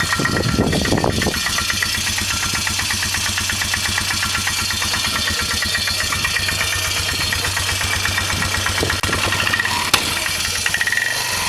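A small single-cylinder engine catches and settles into idle with a steady, sharp clatter through every beat. Cause suspected, not confirmed.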